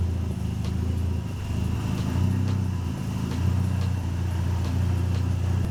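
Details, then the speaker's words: Old Mark III Ford Escort started on a jump pack with choke after storage: a deep, loud, booming idle with no muffling, because all the silencer baffles blew out. "all the baffles blew out of it last time all the baffles blew out of it yeah that's why it sounds like a race [Music] car [Music]"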